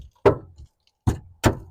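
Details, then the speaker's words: Old car rear body near spare-wheel well with rust holes, hammer tapped: four dull dead thuds dying at once with no ring, lumps flaking off; corroded sheet metal. "just a couple of little Taps and that noise that's not the noise you want to hear really that's got like lumps coming off it"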